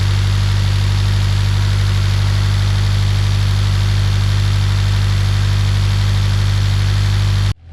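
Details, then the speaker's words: Scion FR-S with 1JZ-GTE VVTi turbo swap, automatic, idling: steady even low hum, healthy, no knocks or misses at idle; owner notes a slight knock at high rpm, told it's piston slap. "So yeah, the motor, I mean, overall idling sounds really healthy. It runs, it works."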